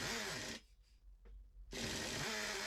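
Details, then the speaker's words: Second-hand Traxxas Nitro 4Tec RC engine after low-speed needle adjustment: loud high-pitched engine fires, cuts out for about a second, then restarts; ran okay with throttle open. "can hear that it's it's really loud and then it just cuts so we try again it starts up"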